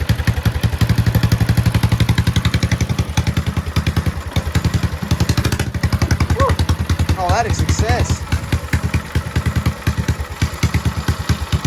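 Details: Go-kart-type single-cylinder motor, oil topped up and cleaned, started to see if it runs better after the fix; thumps along at a steady, even beat and holds speed without missing; running properly.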